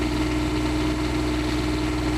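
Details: Motorhome generator after repair of its two faults, fitted with an hour meter. A steady, even diesel drone with a constant low hum and no knocks, misses or surging. It runs smoothly and normally.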